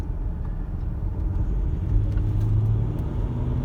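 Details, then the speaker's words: Land Rover Discovery 4 diesel on a road test, opened up under acceleration: deep, smooth rumble builds evenly over road noise with no knocks or bangs; tight, healthy engine pulling cleanly, normal acceleration. "It feels very sort of new, to be honest, to drive, and it's got a bit of poke if you want it. I'll just open it up a sec."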